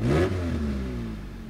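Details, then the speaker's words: 1993 Honda Integra ZX 1600 (Japan import): a quick rev rises and falls with a raspy, leaky edge under the engine note, an exhaust leak clearly audible. "you can really hear the exhaust leak when I do that"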